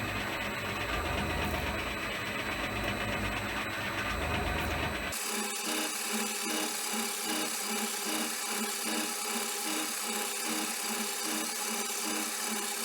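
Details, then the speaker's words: Shaper cutting with a modified internal cutting bar to square out a hole: rasping scrape on each stroke, about 2.5 per second, as the back (heel) of the tool bit rubs in the bore; more needs grinding off the bit for clearance. "what's happening is the back end of the tool here is he's rubbing on that so I'm going to grind some more off the tool bit and stop"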